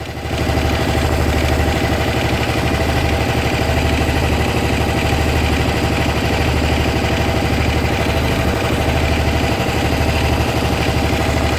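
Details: Honda SH 300i scooter idling steadily with a light, fairly regular ticking of about three per second over low hum; owner suspects something is wrong though mechanics say it's nothing.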